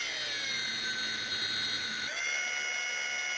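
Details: Bigger e-bike motor on a cordless-drill PWM controller, going to max: a high motor whine with a steady electronic tone shifts abruptly about two seconds in as the controller switches to full-power bypass.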